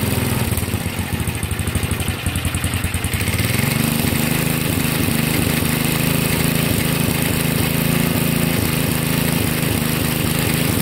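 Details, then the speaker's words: 1963 MTD Lawn Flite lawn tractor single-cylinder engine after replacing all ignition components: catches after a few seconds, then fast even putter with no misses; normal running, though clutch not working. "oh well I was interesting the clutch is not working put it in gear and it just takes off but it's running okay"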